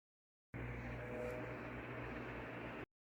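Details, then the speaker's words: Newly installed Ventisol Fenix 3-blade ceiling fan, wall-switch controlled, at maximum speed in fan mode: soft steady air whoosh and faint hum, no ticking or wobble; not making much noise, normal. "essa é a essa é a velocidade máxima, tá? Do ventilador. Não tá fazendo tanto barulho, ó."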